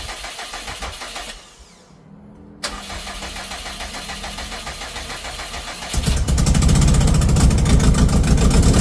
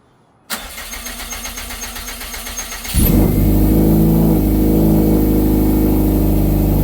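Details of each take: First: 2012 Subaru STI hatch, rebuilt engine, first start after sitting 9 years: starter churns, then loud raspy lawn-mower/weed-eater-like idle with exhaust blowing out the open, unplugged O2 sensor port; exhaust leak. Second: 2012 Subaru STI hatch, first start in 9 years after rebuild and engine reinstall: brief even cranking, then it catches cleanly and settles into a smooth, steady run with no knocks or misses. Normal running.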